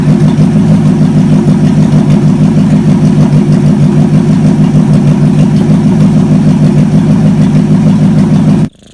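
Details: Chevy 283 V8, sat for a while, run on the shop floor after ignition timing advanced a bit: strong even beat at fast idle, no misses or knocks, runs smoothly until shut off; normal running.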